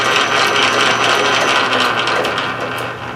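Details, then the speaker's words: 13-inch South Bend lathe after sliding gear shaft repair and detent spring replacement: steady, even mid-to-high whirring gear noise, normal. "let me go ahead and turn it on a normal gear noise more or less"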